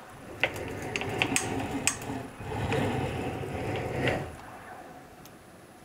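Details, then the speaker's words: eRacing-Lab SFX-150 sim rig motion actuator after 3 months: rough metal-on-metal crunching and clunks from down inside the actuator through full up-down travel, on startup and on power-off reset; started as a small clunk and worsened. "super crunchy and nasty sounding it started as just a little bit of a clunk and now it's gotten much much worse"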